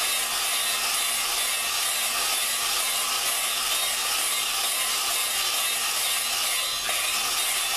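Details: Lapping a valve into its seat with a drill and grinding compound on a 4.7 Dodge cylinder head. A continuous gritty, sandy hiss, steady throughout; the compound is cutting as it should.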